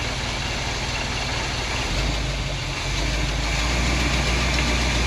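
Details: 1947 Chevy hot rod stored and forgotten for years, first run out of storage: even, regular idle pulse about 220 beats a minute with no stumble or skip, hitting on all eight; normal idle.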